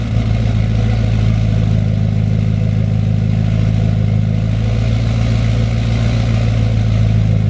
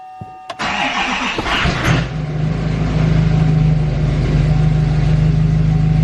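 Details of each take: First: 2020 L5P Duramax diesel pickup, cold start with factory stock turbo before a Stealth 67 turbo install: heavy diesel clatter settling to an even idle with a steady turbo whistle; healthy stock cold start. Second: L5P Duramax diesel after installing a new Stealth 67 turbo, cold start: short crank, quick catch, then deeper rumbly idle with low drone and no turbo hiss; owner suspects the turbo actuator isn't working, engine power reduced.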